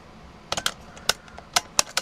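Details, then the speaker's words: Mercedes Sprinter W906 EZS/EIS ignition switch after bench repair and key programming: crisp distinct clicks as key inserts and turns, about six sharp ticks in under two seconds; switch engaging normally. "We put the key in. You hear the click. And now we're able to move it."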